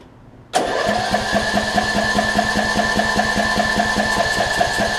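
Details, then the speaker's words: 2007 Craftsman LT2000 riding mower, Briggs and Stratton engine not run in a few years, second try with starting fluid; catches and runs rough, uneven and popping, backfiring through the intake while cranking; owner suspects timing off, will remove carb. "the timing is off. It almost sounds like the timing may be off on it. Not quite sure. I think the timing might be off on it because obviously I saw it backfire through the intake there"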